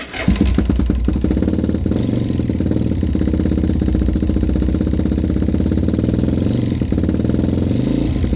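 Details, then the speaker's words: Suzuki DR-Z motorcycle with FCR 39 carburetor, 800 km after install, sudden big clack: steady single-cylinder idle with hard regular tick each beat; owner suspects connecting rod bearings or piston play, not ignition or clutch. "donc du coup la théorie la plus plausible c'est que j'ai fait les Cousinet de Biel ou alors un jeu dans le piston"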